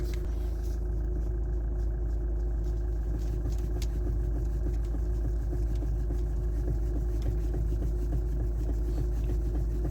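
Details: Hyundai Santa Fe, engine running, steering wheel turned: faint irregular knocks through the steering; cause is the failed electric power steering motor coupling, and the knock disappears with the engine off.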